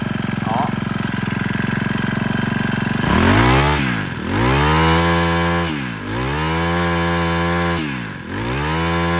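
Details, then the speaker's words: Used Honda GX25 four-stroke grass trimmer, starts on first pull; steady buzzing idle then three clean revs up and down, smooth, no knock or rattle; runs very quietly, throttle response clean. "Đó, các bác nhìn động cơ máy chạy thì rất còn êm các bác nhá. Vẫn còn êm ru luôn."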